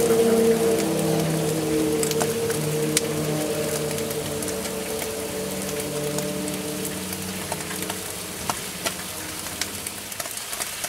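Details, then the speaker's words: Vapor phase soldering machine heating, water layer on top of the Galden boiling off with a board inside; steady low hum under irregular crackling pops growing sharper; water nearly gone and sputtering. "water's getting it's getting low water cuz you can tell it's like sputtering so there's like the water is very getting thin it's sputtering now"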